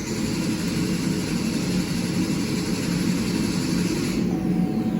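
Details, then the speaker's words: 2006 Buick Rendezvous 3.5L, intermittent no-start after quitting while driving: starter spins engine steadily but it never fires despite gauge showing fuel; crank-no-start, fuel delivery (pump, relay, fuse) under suspicion, cause not yet found. "it is definitely not starting it's saying there's gas in it 83 Mi"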